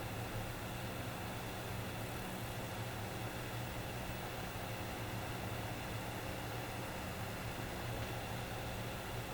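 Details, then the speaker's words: FlashForge Creator Pro 3D printer after replacing the loud stock 40mm fan with a Noctua NF-A4x10 FLX fan run through a 24V-to-12V buck converter: soft steady low hum with faint airy hiss, no rattle or whine; quiet normal fan. "So hopefully you can hear the difference between the original fan and the aftermarket fan."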